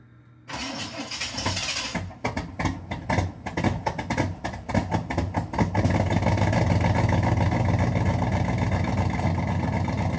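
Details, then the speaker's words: 1986 Chevy Camaro Z28 after sitting: sluggish, uneven cranking about two beats a second, never catches; slow crank, no start, owner concludes it needs a battery. "All right. Doesn't want to start after sitting. We'll give it some juice."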